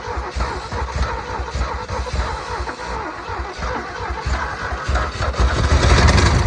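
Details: Ford F150 bullnose truck, flood-damaged in 2010 with water in a seized engine for 14 years, after timing adjustment: catches after a couple of stumbles, then holds a lumpy, steady low rumble that swells as revs rise; running.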